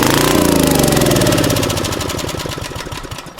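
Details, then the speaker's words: Abandoned Generac generator after the spark fix: catches and runs rough briefly, then beats slow and fade as it dies, firing only on primed fuel. Engine seems good; bad carburetor suspected, not confirmed. "Well, that's a good start. Tells me the engine might be good. Carburetor's certainly in some shit shape though, but let's try putting a little more fuel through it and see if we can get the fuel system primed at all."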